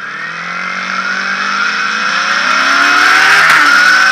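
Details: Motorcycle revving with a whining, squeal-like tone that rises with engine speed, coming from the front sprocket area; the cause is not identified.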